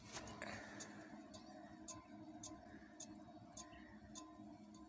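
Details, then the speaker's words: Lada Granta rear wheel, jacked up and spun by hand: a light metallic tick about twice a second, once per turn. Nothing rubs outside; something is rattling inside the brake drum, which must come off. Left side suspected. "Ничего не трет снаружи. Слышно, в барабане там что-то катает. Надо снимать барабан, короче."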